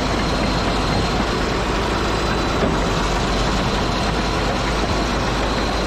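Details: Caterpillar D8H bulldozer (46A serial, year unknown, No. 28 cable control unit) running after sitting 15+ years, once fuel reached it: deep, steady diesel rumble holding even, no misses or surging, running good. Normal diesel idle.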